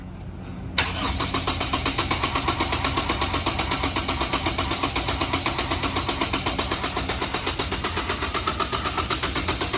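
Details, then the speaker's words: Honda S2000 CR with 532 miles, not run for 10 years, stock program loaded, injectors unplugged, cranked to prime and build oil pressure; steady cranking at about four even compression pulses a second, no firing. Normal cranking, no start. "We've got the stock program in there, injectors are unplugged. George is going to do the honors. We're going to crank the motor over."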